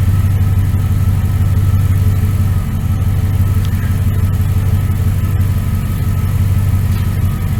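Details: 1999 Dodge Ram 1500 5.9L gas V8 with headers, after new starter, belt tensioner and idler pulley: smooth even idle, steady low rumble, no knocks, misses or squeals; motor sounds good, normal idle.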